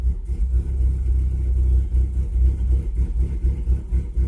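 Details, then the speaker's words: Chevrolet Cavalier with cylinder 4 suspected not firing consistently, short-term fuel trim -34.4%, cuts out above 50–60% throttle: low, lumpy idle with uneven dips like one cylinder dropping in and out. Rough idle, cause unconfirmed. "that's the thing it'll read fine gonna focus but it idles like crap and I just put gas in it the other day"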